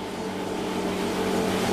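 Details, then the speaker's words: Milesto espresso machine, hot, steam knob shut tight: steady constant-pitch buzzing pump hum keeps running as the pump keeps drawing water while steam still escapes and drips; steam valve/knob leaking. "Hai kalau ini posisinya udah panas ini posisinya uap jadi kayak ada bocoran-bocoran uap nah kelihatan kan tuh kayak wap padahal ini posisi tertutupnya harusnya segini namun deres banget uapnya"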